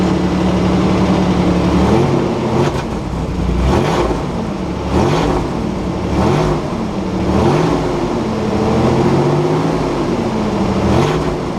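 Repeated blips of the throttle bring a raspy, puffing edge that rises with the revs, which suggests an exhaust leak. Cause suspected, not confirmed.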